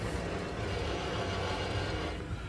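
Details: Wheel bearing spun with nothing attached: steady gravelly rumble with coarse rough texture from a worn bearing needing replacement.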